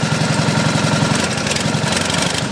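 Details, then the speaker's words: Small single-cylinder pump engine on a 1989 Ford F-350 brush truck runs at a steady, even beat with regular exhaust pulse and no knocks until it runs out of fuel in the bowl; normal running. "well eventually it's going to run out of fuel here should pretty quick"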